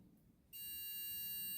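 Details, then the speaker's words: Multimeter set to continuity with the leads touched together, before tracing wiring in a basic air fryer that had a break at the thermal fuse. A sudden, steady high beep holds without wavering; the meter's continuity beeper works normally. "So I took my multimeter and I put it onto the continuity testing, which means that it will make a sound when you touch the 2 leads together."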